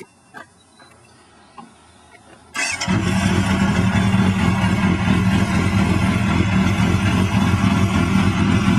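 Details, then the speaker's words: 1997 Yamaha FZR 600 street-bike rebuild with a newly fitted exhaust. Quiet clicks, then an immediate catch into a steady, even idle with a deep exhaust note. A normal, healthy start. "The new exhaust is on. It sounds awesome."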